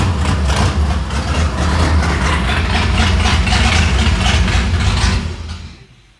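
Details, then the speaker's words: Freshly rebuilt, never-adjusted Ford Fairlane V8 just after a late start: loud lumpy uneven idle that wanders then dies; rough idle, timing suspected way off and valve lash needing adjustment. "Well, it did a late start. Needs a lot of adjustment."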